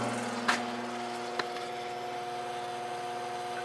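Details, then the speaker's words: 1950s General Electric automatic reversible box fan motor, blade removed, run unloaded on high while measuring current; steady electric hum with thin high tone, no rubbing or knocking, spins freely; drawing more amps than it should, no evidence of overheating, cause unknown. "I'm going to turn it on high and we'll see how many amps it's pulling with no blade on"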